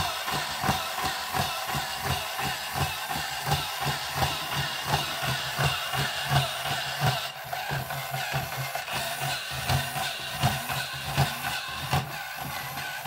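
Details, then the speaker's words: Marks & Spencer Insect-a-zoid self-build robot, model 4218, after moving the rubbing pinion gear about 1mm up the shaft off the crown gear: soft even thumps about 85 a minute over light whirr, no gear rasp; normal quiet gear drive. "so we'll give it another little run so you can hear how quiet it is now so here we go again and this time it should be much quieter"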